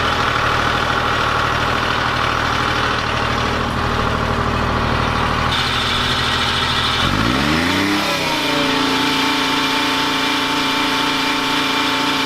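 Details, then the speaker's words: Detroit 3-53 diesel generator in a homemade 1977 Peterbilt 359 motorhome, carrying two 1500 W heaters, a 2000 W water heater and two air conditioners: steady even drone that dips briefly as the load comes on, then holds; it barely loads up, healthy. "At this point, I've got two 1500 watt electric heaters running, a 2000 watt 6 gallon electric water heater, 2 air conditioners, and you just flat came here it loaded up at all."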